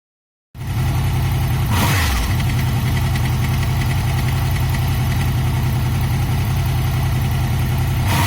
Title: VFR VTec rattling noise. Cam chain tensioner fix needed. Part II.